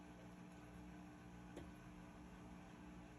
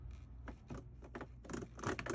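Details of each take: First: Whirlpool commercial/Maytag washer test run after replacing the stripped, worn clutch that caused grinding going from wash into spin: quiet, even motor hum with a faint whir, no grinding or scraping; running smoothly. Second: Whirlpool/Maytag commercial top-load washer: uneven dry scraping bursts as the shifter engages from wash into spin; stripped drive clutch (splutch) slipping, needs replacement.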